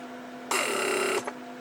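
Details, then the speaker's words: 1995 Mercedes S-class W140 door lock (PSE) pump, under passenger-side rear seat, after repair: short steady buzzing whir as unlocking builds about 0.55 bar pressure, within spec (locking gives about 0.6 bar vacuum); normal pump run. "pressure okay so again locking creates vacuum point point six about bars which is good and pressure I've also about point fifty five which is within specifications so we're good there"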